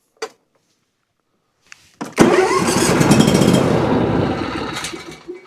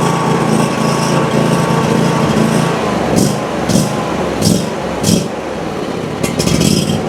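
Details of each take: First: Ferris IS3000Z mower, 27 HP Briggs & Stratton V-twin, diagnosed for low power and rough running, run on one cylinder only: catches after a pause, runs with an even, steady thump, then winds down; that cylinder is healthy. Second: Ferris IS3000Z mower, 27 hp commercial Briggs & Stratton V-twin, low power, on fresh ethanol-free fuel with choke applied: loping unevenly, surging and sagging about once a second; evened out on choke, pointing to a likely carburetor issue; poor fuel color and flow noted.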